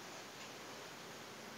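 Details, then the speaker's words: Refrigerator: a steady, even hiss with no pulsing, heard as soon as the unit arrived, from refrigerant escaping through a holed capillary tube. This confirms the capillary leak. "sudah ketahuan bahwa kapiler ini bunyi di Fap ini sudah ketemu kuncinya satu kapiler ini bolong"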